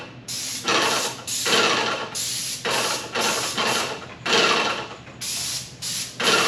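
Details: Paint sprayer with new tip and shield, spraying walls: repeated one-second bursts of clean, sharp spray hiss starting and stopping with the trigger, no weak or sputtering spray; new tip atomizes properly, much hissier than before.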